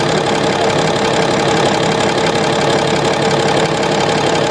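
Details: Komatsu SAA6D140E-5 diesel, first start after engine work including injector gasket replacement, valve cover off to check oil reaching rocker area: steady idle with loud open-rocker clatter, even beat, no misses; oil flowing up, normal.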